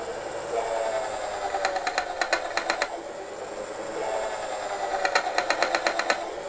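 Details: 2 mm high-speed-steel twist drill boring stainless steel with proper pressure and speed: steady motor hum with short bursts of quick, even rattling, about five a second, the bit cutting properly rather than slipping.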